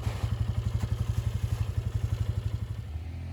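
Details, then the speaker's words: 2007 Polaris Scrambler, first running after sitting 4+ years: even, steady single-cylinder thumping under load while plowing, settling into a smooth, clean idle; runs normally. "I just have a few short videos of it idling and me plowing a little bit."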